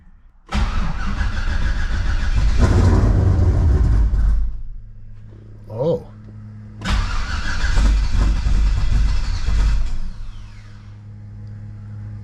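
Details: Cold start of a Ventura with On3 turbo LSX, after replacing intake gaskets to fix a vacuum leak and lean pop at idle: fires first try with loud cold-start blip, settles into smooth deep idle, no popping; normal idle.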